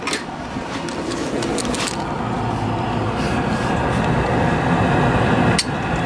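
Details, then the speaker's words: Refurbished 1968 MGC heater blower, fan installed, mounted and switched on: steady, even fan whoosh with no scraping, rubbing or ticking; the blower runs smoothly. "okay with a fan installed and mounted and turned on you can here there's no scraping or rubbing that's good"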